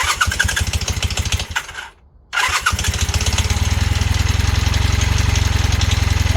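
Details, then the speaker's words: Honda Hondamatic 400 motorcycle, first start after 15–20+ years sitting: lumpy uneven idle with stumbles, nearly stalling, won't throttle up; owner suspects sticky valves. "okay it is running on its own sounds terrible oh won't throttle up"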